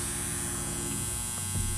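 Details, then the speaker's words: Homemade transformer with 110 V on the primary, giving about 43 V on the secondary: a steady low mains buzz caused by loose, unvarnished core laminations vibrating. "y como pueden escuchar, aquí tenemos el zumbido que les mencionaba por la falta de barniz y de que queden por falta de que nuestro núcleo quede más firme."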